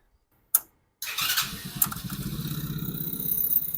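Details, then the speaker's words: Chinese engine on an Ace go-kart after replacing a new carburetor (old one leaked around brass insert), hot-wired key switch issue; catches on first pull, settles into a quick even putter, starts right up and idles cleanly. "but starts right up Hing like a kitten yeah they're going to be really happy with this"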